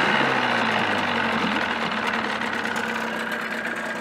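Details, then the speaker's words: 1979 Evinrude 35 hp outboard restarted with the cover on, before adding sound-deadening insulation, about 86 dB: even two-stroke buzz holding steady speed, no misfires or rattles, noticeably quieter; normal running. "definitely a lot quieter with the cover on"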